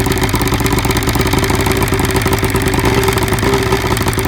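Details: 1975 Evinrude 70 HP two-stroke outboard: fast buzzy idle with uneven lumpy beat; misfire on cylinder #1 caused by spark arcing down the plug porcelain from carbon in the boot.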